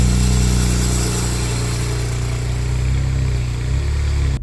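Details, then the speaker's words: BMW 335i N54 3-liter twin-turbo engine running with a loose metallic rattle over the low drone, the known wastegate rattle, sounding like bits of metal loose in the car. "Now that sound, I mean, if you go to, let's say you go to a car meet with your brand new 335 and you start it and it makes that noise, it's not the greatest feeling, because I mean, you just bought the 335, it's 3-liter twin turbo V6 and it sounds like it's got bits of metal rattling around in the car."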